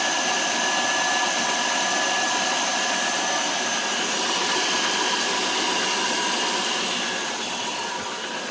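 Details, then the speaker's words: 2000 Chevy Malibu after a new serpentine belt and pulleys were fitted (the old belt broke from a seized idler pulley): steady, even engine hum with a faint constant whine and no squeal, chirp or slap; water pump turning and the belt drive running normally. "That's the water pump. That's what I want to make sure it's still running okay. As you can see, it's turning there."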